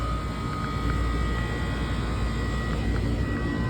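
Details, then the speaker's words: Walk-in freezer condensing unit restarting after the breaker was reset; the solenoid opens and refrigerant rushes, and it kicks out of defrost; steady low compressor hum with a faint high tone on top, running smoothly; normal restart. "the solenoid will open and we should hear the rush of refrigerant, and then we should start. Ta-da!"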